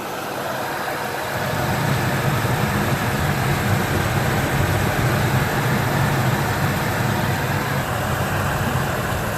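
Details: 1999 Ford F-150 V6, about 20 years old, warm idle recorded before an AMSOIL engine flush and oil change: smooth, even low idle with a steady note, no ticks or knocks; sounds healthy.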